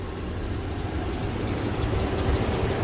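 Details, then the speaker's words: Two-door Chevrolet Tahoe idling after A/C work: high, sharp chirps about three a second, an uneven squeak from the accessory drive; owner suspects a pulley and hopes servicing it will fix it, not confirmed. "okay you know what we're squeaking a little bit we're squeaking a little bit but we're"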